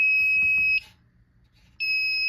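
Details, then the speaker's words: Silent Knight SK-4 fire alarm panel, just reset, with no standby batteries installed: a steady high-pitched beep lasting under a second repeats after a one-second pause, signalling battery trouble. "Now I reset the panel. Battery trouble's gonna go off because obviously there's no batteries."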